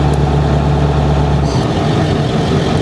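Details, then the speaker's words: 7.3L Powerstroke diesel with new 175cc/30% Unlimited Diesel injectors and Gearhead tuning, switched to tune two: deep, even rumble held at a steady high idle with no knocks or misses, for cold mornings or battery charging. Normal high idle. "there it goes high idle so he's got high idle for those cold mornings or if he wants to charge up a battery that's also a bonus with the high idle"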